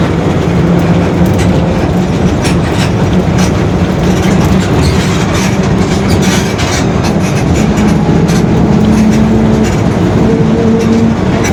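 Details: 2021 Marcopolo Torino S on Mercedes-Benz OF-1721 BlueTec 5 chassis, long city bus, under way: low road rumble with a droning tone that climbs as the bus picks up speed, the rear differential growling.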